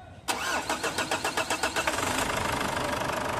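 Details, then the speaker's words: Ford Everest diesel just after an oil change and fuel filter replacement: about a dozen slow cranks over two seconds before it catches and idles, a long crank; fix is pumping the filter primer until firm. "Napansin niyo mga boss ng ini-start ko mahaba yung redondo niya hindi agad siya nag-start ibig kong sabihin hindi siya one click"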